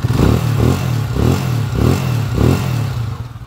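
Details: Honda TMX155 single-cylinder motorcycle after overhaul (new seals, sprocket, clutch parts; previously rough timing gear noise), idling with an even low thump and gentle pitch swells, slight vibration; healthy normal idle.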